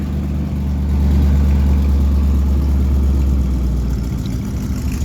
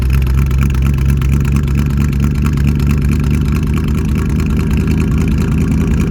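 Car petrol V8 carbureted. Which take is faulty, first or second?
first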